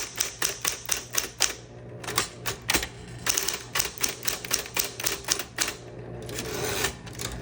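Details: Green 1960s Smith Corona Electra 120 electric typewriter, switched on and typing demo with tab set: crisp, even key strikes at a steady pace with short pauses over a soft motor hum; normal typing operation, types cleanly.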